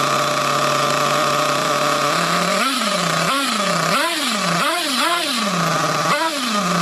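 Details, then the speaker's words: Trophy nitro buggy after a low-speed needle adjustment: the high buzzing idle keeps surging and sagging about once a second without settling; the owner thinks the low-speed needle is running lean and plans to turn it further. "Right. I think it might be the low speed eagle's running a bit bit on the lean side. I'm going to turn it down a bit more."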